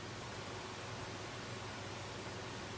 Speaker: So that's what the system sounds like without the Corsair fans.